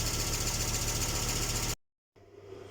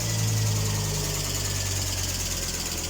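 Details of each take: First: Volvo 850 T5-R engine at operating temperature after restoration and cooling-system bleeding. Lifters that ticked at first start are now quiet; steady, even idle with a smooth hum. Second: Volvo 850 T5R after engine renovation, first cold start: light fast ticking about four times a second from hydraulic lifters at idle, which went away once the engine reached temperature.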